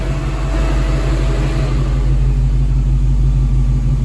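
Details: V8 after cooling system work, custom heater producing plenty of hot air: deep, even burble at idle, steady rumble with no knocks, misses or hunting; engine idling smoothly.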